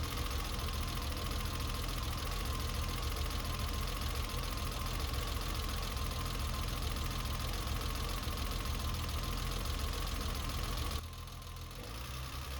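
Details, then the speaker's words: BMW E30 six-cylinder that has long run rich with black smoke, compression and leakdown tested fine, warmed up at idle; uneven stumbling idle under a steady drone, noise seeming to come from the dipstick tube; rough idle from rich running. "as you can see it's got a little bit of a rough idle and in the daytime we got a little bit of noise but basically the same"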